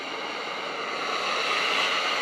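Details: Tefal Access Steam Force DT8270G0 handheld garment steamer, 2000 W, new unit switched to delicate mode; smooth continuous hiss that builds slightly and stays even, no spitting or gurgling, working normally.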